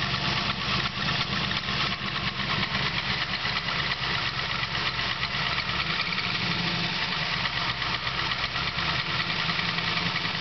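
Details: Chevrolet 383 LSX V8 at a lumpy idle with fast, uneven, crisp ticking and a hissy high edge; suspected piston slap and squeak, source unconfirmed.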